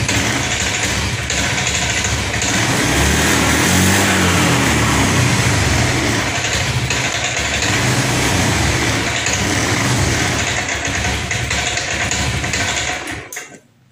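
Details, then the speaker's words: Honda Scoopy ESP FI automatic sputtering after tank cleaning, on external fuel supply at normal pressure, EOT sensor connected; holds rough idle but bogs and falls flat on throttle, only idles; clogged injector. "Baiklah teman-teman, di sini motor tetap masih ngempos, tidak mau digas Pak ya, menyala namun hanya stasioner Pak."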